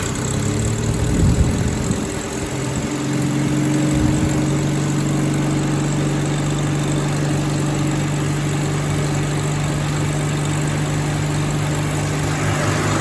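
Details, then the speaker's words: Rover P4 80 idling after the first of its ignition cables was swapped from acorn-boot to rubber-boot leads, fitted because of rough pinging and shocks from a suspected insulation leak; after a brief start-up stumble it idles smoothly with no misfire. "Okay, that's a good sign. So that's one down."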